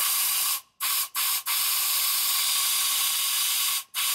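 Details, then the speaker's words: Hercules JXD engine in a Hyster forklift, number one cylinder with both valves closed, cold, after valve adjustment: compressed air into the spark plug hole gives a loud steady hiss; intake and exhaust valves both leak; compression about 60 psi. "you can hear it leaks. It actually leaks out of both intake and exhaust. Neither one of them are sealed up."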